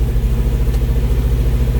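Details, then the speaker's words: 1971 Alfa Romeo 1750 GTV with manual transmission: a smooth, even, low-pitched idle with a regular pulse and no misfires or rattles, with idle speed now coming down; the engine runs well. "now the idle is going down a little bit so that gives us a little bit of an indication of the engine idle"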